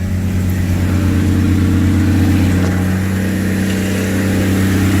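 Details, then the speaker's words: 1982 Ford Granada, cold at about 25°F, just started after a carburetor rebuild; steady, even idle at about four beats a second on choke, no misses or knocks; runs smoothly as expected. "Oh, yeah, hell yeah. Sounds like how I expected it to sound."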